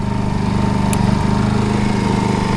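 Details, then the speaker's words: Honda EU2000i 2000 W generator idling with no load after switching to eco throttle: a low, even putter and steady hum with no misses or surging. It runs almost at a whisper, quiet compared to other generators; normal eco-mode idle. "flip down to the equal throttle it goes down to pretty much a little whisper it's really not too loud of a generator compared to others"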